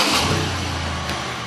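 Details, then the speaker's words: 2008 Chevy Impala after brake booster repair (hard pedal that pushed back on the foot): engine idles steadily, no ping noise and no sucking hiss from the booster side; normal idle. "verified she runs she starts there's it's not doing what it was doing there's no ping noise over here anywhere nothing nothing at all just the engine noise"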